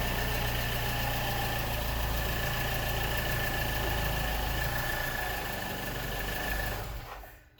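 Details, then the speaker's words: 2007 Mini Cooper R56 after spark plug replacement, at idle: steady even idle with diesel-like ticking clatter at a constant rate; engine noise the owner worried about turned out normal for this generation. "i feel the concerns i had ended up being normal for this generation of mini so that's all i want to talk about first so basically i had a concern with the engine noise um apparently these things are supposed"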